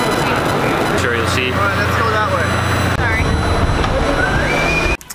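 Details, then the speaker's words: Canon 200D (Rebel SL2) with a Rode VideoMic Go: a loud, steady hiss under a voice from the camera's sound recording set to auto, with gain overboosting the mic. The fix is setting sound recording to manual. "the hissing sound completely ruins the audio and it's definitely not something that you want to have in your videos"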